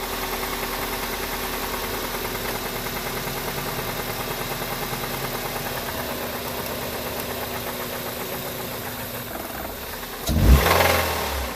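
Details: 2002 Honda Civic D17A 1.7L petrol idling with a deep, steady knock about three times a second, rod knock from a failed rod bearing; lost power and got louder on cruise, noise from the bottom end.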